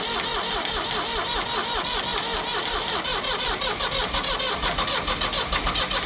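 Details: 1985 Ford 545A backhoe loader, 3-cylinder Ford diesel, first cold start with a rebuilt injector pump: it catches quickly and settles into a steady, even diesel clatter with no misses.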